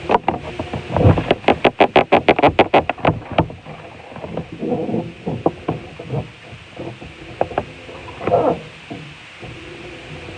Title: Washing machine making noise